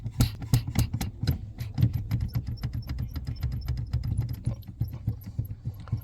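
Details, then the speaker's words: Honda Vezel brake pedal being pumped: faint high chirps and soft creaks from a dry, ungreased brake light switch; greasing the switch eliminates the squeak. "So it's dry, that's why it's squeaking and making all that noise."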